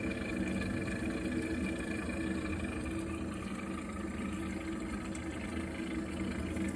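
A steady low droning rumble runs unbroken while the boiler heats water; it is an abnormal noise, though its source is unclear.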